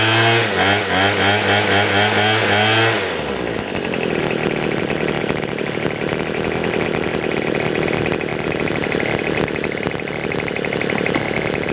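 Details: $10 Craftsman two-stroke leaf blower after the low-speed mixture screw was opened about a quarter turn to cure stalling: holds a steady high buzz without stumbling, dying or hunting, running evenly and staying running.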